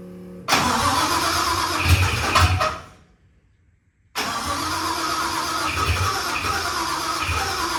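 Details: 1974 Mercury Comet with a 5.0L Coyote Procharged engine and a new starter: turns over at a steady cranking beat, pauses, cranks again without catching; crank-no-start, cause not yet known; earlier a circuit breaker kept popping and was replaced with a stud.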